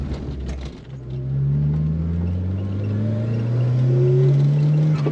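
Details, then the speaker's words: Nissan March Superturbo (twin-charged) driving after the new exhaust install: deep, smooth rumble climbing in pitch through the gears, no rasp or drone, nice volume and feels faster on turbo; normal, healthy exhaust note. "there's rumble, but it's Yeah. not like an awful raspy kind of noise. It sounds really good."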